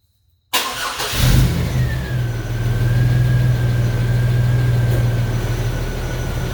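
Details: 1999 Chevy Blazer 4.3L Vortec, first startup after replacing the distributor, intake manifold gasket, harmonic balancer and driver-side head work: cranks, catches quickly and settles into a steady, even idle with a faint accessory whine; healthy normal startup.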